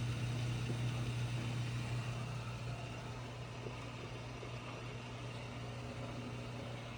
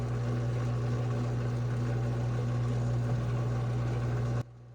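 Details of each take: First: GE Hydrowave washer after washer motor replacement (not-spinning fault): quick drain and spin gives smooth steady motor hum at one low pitch, easing as tub spins down; no grinding or banging; normal spin. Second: GE Hydrowave washer, before motor replacement, snake removed, shifter working: low steady motor hum with no spin-up, then cuts out; basket rotates super slowly and won't reach drain spin; weak drive motor, to be replaced.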